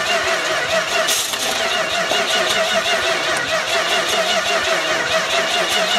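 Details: Dodge D200 truck, cranking with ether spray and gas pedal pumped after wiring and fuel work: starter churns in a steady thin whir with brief irregular catches but never runs; crank, no start, cause suspected, not confirmed.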